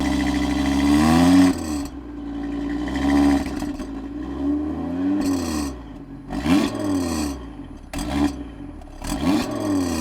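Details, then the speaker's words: 2016 (66-plate) Audi TT RS with sports exhaust, engine blipped repeatedly: a rough buzzing rattle rides on each rev from the left-hand exhaust tip. The rattle comes from the spring in the exhaust flap valve just behind the tip. "So yeah, as you heard, awful. And essentially, it's been coming out of this left-hand side. So I did a little bit of research and found that it's to do with the spring that's in the valve that sits just behind the exhaust tip."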